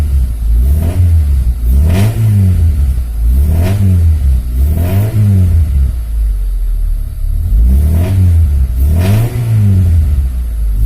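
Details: Freshly assembled Honda Civic Genio engine while setting the air-fuel ratio: repeated throttle blips, revs climbing and falling back cleanly, no misses, knocks or clatter; runs healthy.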